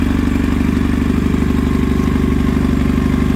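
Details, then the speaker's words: 1999 Kawasaki ZX9R carbureted four, warming up, carbs just adjusted, fuel shut off while running bowls dry: loud clattery idle pulsing unevenly about two and a half beats a second; vibration felt in handlebar controls. Rough running, cause not yet known. "Got a weird vibration in it that I can feel. Feel it really good up here in the handlebar control. It just doesn't sound right."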